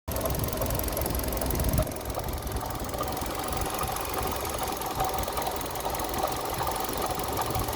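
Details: Kia Rio 3 at steady idle: faint, fast ticking knock riding over the engine note; engine knock, cause not clear.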